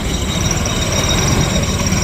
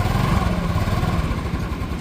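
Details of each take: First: TVS Jupiter scooter idling: loose, uneven chattering rattle over the engine beat. Clutch rattle; on opening, the clutch showed worn rubber dampers, two broken metal pieces and a previously broken nut. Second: TVS Jupiter scooter after a clutch repair, once broken metal pieces and worn clutch rubbers were found and the housing was washed and refitted. Smooth, even low putter with no clutch-side rattle. Normal running.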